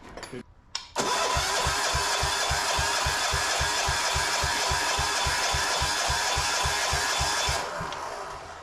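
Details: Gravely C10A tractor repowered with a 418cc Yanmar-clone single-cylinder diesel, cold start attempt: even starter chugging about three and a half beats a second, never catching; the compression release is holding the exhaust valve open.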